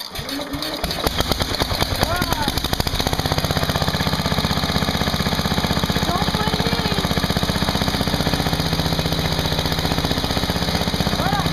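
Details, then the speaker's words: Sears garden tractor cold start at -10 with the choke on, after not running for a day: a brief crank, then it catches quickly into a steady, even single-cylinder chug. It is an excellent, healthy cold start. "don't blame me for that that was amazing that's the best it's ever done"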